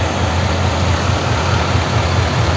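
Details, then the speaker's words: 6.0L LS-swapped Chevy S10 with a new fuel system (255 lph pump, 100-micron filter, new injectors) and long-tube headers, warm at about 190-192°F; deep, steady, even idle, injectors audible, no leaks, healthy. "sounds good i hear the injectors nothing leaking down here oh yeah this is great"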